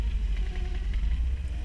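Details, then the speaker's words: Cat skid loader plowing dense 6–8 inches of snow over gravel in extreme cold during a Wisconsin storm: deep steady diesel drone that dips and bogs slightly as it pushes, struggling under heavy load but still pulling. "You can hear it in this machine. It's just, she's struggling, but she's still doing her."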